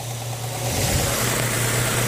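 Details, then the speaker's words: 2008 Ford Fusion 2.3 after an oil and filter cartridge change, now running with the oil light off; check engine light on with P0420 catalytic converter code. Steady, even low hum, no knocks or ticks; normal idle. "So, alright, so it's running. Oil light's off, which I like to see. Let's go out here and look. Double check one more time. Motor sounds really good."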